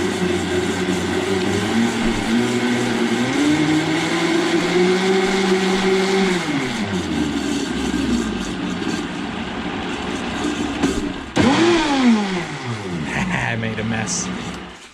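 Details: Vitamix 5200 blender, drive socket replaced, running on high with about a cup of water: steady motor roar climbs and settles smoothly with speed changes, no grinding or rattling from the drive; healthy normal high-speed running.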